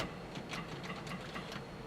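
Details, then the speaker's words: 1970 Chevrolet K10 4x4 pickup sat 26 years: quick string of sharp dry clicks with no cranking, starter engages but engine won't turn over though it cranked moments before; loose cable or rusty ground suspected. "now what you're just turning over a second ago come on for cheese and rice loose cable doubt slingshot"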